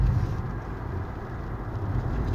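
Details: Renault Fluence with 46,000 km on a dirt-road test drive after repair of a noisy front upper shock mount: steady low road rumble with no knocks or clunks from the front end; the suspension sounds solid.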